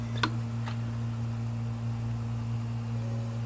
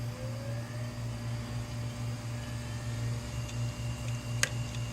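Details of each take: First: Hard drive previously frozen, after head replacement, powered up on a data-recovery imager: steady low hum with faint high whine, no clicking or scraping. Spins up and heads work normally. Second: Failing hard drive powered up right after 18 hours in a freezer: a steady spin-up whir, then sharp head clicks about every second and a half.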